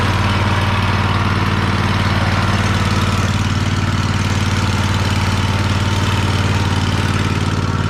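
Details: Free Troy-Bilt riding mower, started with help while the carb shut-off solenoid clicks, needing a solenoid: steady, even twin-cylinder thrum at fast idle, no knocks or misses, sounds healthy. It drives in reverse, though the belt smells burning and is possibly the wrong belt.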